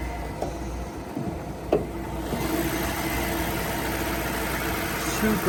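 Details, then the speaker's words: Freshly tuned-up BMW V8 (rare non-M model) with new spark plugs on all 8 cylinders, gaskets, oil change, new air filter and new alternator starts and settles into a super steady idle, no stumble, misfire or rattle; normal idle. "So you guys hear the idle, it's super steady idle."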